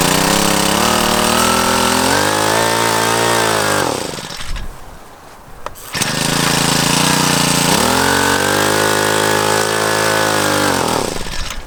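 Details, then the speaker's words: Generac CW10k small water pump engine on choke: runs, drops out and dips, catching again near six seconds; ran well the day before, fuel good, rough running cause unknown. "i was running good yesterday but today little hiccups i don't know what's up with that we got good gas"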